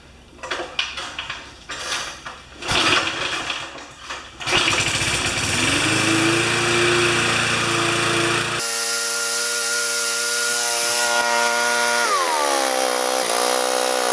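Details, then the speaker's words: Home-built "Frankenmotor" small engine assembled from spare parts, mounted on jack stands, started after sitting two days: several sputtering pulls, then it catches and holds a steady high buzz with a brief dip; normal start and run. "real world test it's been sitting for two days if it starts I'm going to just let it warm up a little bit"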